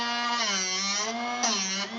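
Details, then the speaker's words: Drill Doctor 750X sharpener grinding a worn drill bit held by cam and post: steady high grinding whine that dips as the bit is turned, grind starting to diminish on one side before switching sides; normal sharpening contact. "Okay, I can hear it starting to diminish its grind, so let's go to the other side."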